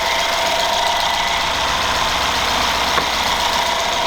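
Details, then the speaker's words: 2013 Mercedes GL550 after the alternator voltage regulator was replaced, with the jump pack unhooked: the engine holds a steady, even idle with no sag or stumble and everything stays on, so it charges on its own; normal idle. "Didn't hear it die down or anything. Yep, everything's still on."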